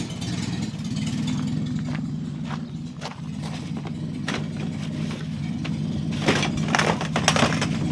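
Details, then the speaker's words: 1955 Morris Minor, freshly installed engine, no exhaust or downpipe fitted: loud, raw, unmuffled blat rising with throttle; throttle somewhat sticking. Running with the exhaust off. "Oh, there's no exhaust on yet either, we kind of can't find the downpipe."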